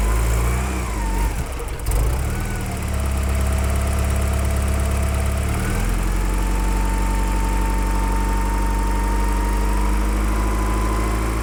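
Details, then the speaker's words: Porsche 944 with a no-start problem finally catches, rough for the first two seconds, then settles into a smooth, even idle with a steady low hum. It runs nicely once going; the owner suspects injectors or their electrical supply at starting. "Right. So when it runs, this engine runs really nicely."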